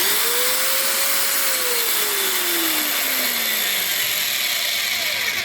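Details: Hikoki angle grinder after about two years of heavy use: even high-pitched motor whine with steady air rush, no rattle, rumble or grinding; runs normally, though the owner suspects worn bearings.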